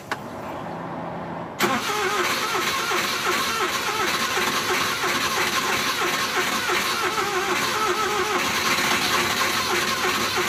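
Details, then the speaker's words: Suzuki van with hard starting: steady starter churning for about nine seconds, engine never fires; before repair, owner suspects the distributor cap and plans to replace it. "So yun guys, hindi mandar. So siguro papalitan na natin na distributor cup."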